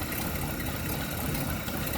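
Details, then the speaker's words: Carbureted engine idling unevenly with a lumpy, stumbling low rumble; not a carburetor adjustment problem but a vacuum leak, most likely at the intake manifold; plan is to re-tighten it or fit a backup manifold. "But that's why I can't get a good idle out of this thing. That's the reason. That's probably why it's even running rough."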